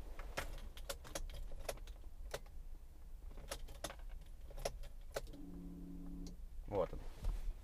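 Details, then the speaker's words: 2005 Mazda 6, fuel pump not priming; with positive feed to the pump restored, key-on gives a click and about a second of steady low electric hum; normal fuel pump priming. "так и теперь есть щёлканье и звук вот он это щёлка не было и вы слышите бензонасос"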